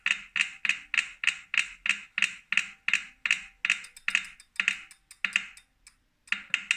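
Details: New 2018 Wahoo Kickr Core trainer makes sharp, dry clicks about three times a second, evenly spaced with brief pauses. The owner suspects a broken axle bearing or loose magnets; cause unclear.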